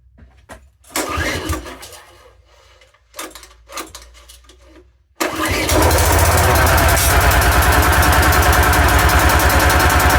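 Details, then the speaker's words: Road saw just started after a few pulls, with choke on: it runs at a fast, even idle with a thin whine over the engine, suggesting the blade shaft bearing is gone, going or wants greasing. "That does sound a bit whiny like this bearing gone or going or wants greasing."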